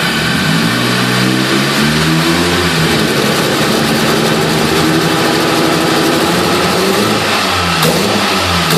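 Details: Nissan PS13 with SR20DET running poorly under acceleration: engine revs up and down unevenly with a rough stumbling beat and no clean pull, a misfire under acceleration; cause still being diagnosed.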